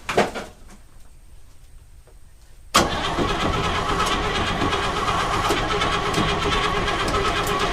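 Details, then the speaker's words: 1952 Chevrolet Bel Air inline-six, sat for years, first crank: starter spins engine in a steady rhythmic churn, never fires; engine not seized, but no fuel coming through, starter seems to disengage. "Did we get any fuel come through? >> No gas yet. >> No gas yet. I'll keep going."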